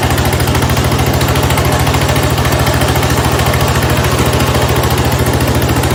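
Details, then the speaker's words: 1970 Cub Cadet 127 garden tractor single-cylinder engine after head gasket replacement, restarted, steady even putter around three and a half beats per second, no misses or knocks; normal healthy idle, runs pretty good. "Overall, I'm pretty happy with it. Runs pretty good."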